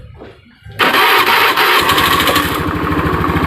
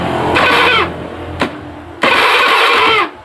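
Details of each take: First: Honda Beat FI fuel-injected scooter after the no-ignition fault was repaired and connectors refitted: starter whirr, then catches at once into an even idle about 200 beats a minute; normal start and idle. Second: Honda Beat FI scooter with no ignition, during a test on a line from the ECU: two short starter bursts with no firing; cranks but no spark, ECU first suspected, cause later traced to the pulser.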